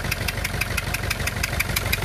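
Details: Renault Clio 2 1.5 dCi diesel at idle: sharp regular puffing ticks about six per second over unstable idle, compression escaping past two leaking injector seals; injector seal compression leak.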